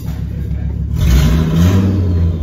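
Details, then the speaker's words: End-of-life Volvo V70 T5 turbo with a bad engine, just started after the catalytic converter was removed: it catches and revs up to a loud, deep, open, unmuffled rumble because there is no cat in the exhaust. "oh yeah fun laying up it's not actually as loud as my race car when i got that because i had the cat cut out as well that was way louder than this"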